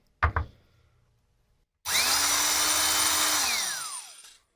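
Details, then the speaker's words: 1960s General Electric TH-30 drill, 3 A, 1/3 hp, after teardown and rebuild, drilling through metal one-handed: steady high whine, pitch sagging slightly as the bit bites, then winding down; motor pulls strongly and sounds healthy. "I'm gonna try this too with one hand so we'd go through this hopefully not go through the metal below but let's try this out look at that pulling right through"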